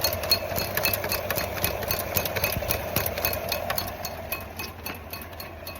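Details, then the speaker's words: Truck making sharp metallic ticks about three to four per second over the running engine. Owner suspects the belt, not confirmed; the mechanic said drive it in about 20 miles and watch the gauges. "When I go down the road, it's ting, ting, ting, ting, ting, ting, ting. How far down the road can I make it on that belt? It's just tinging."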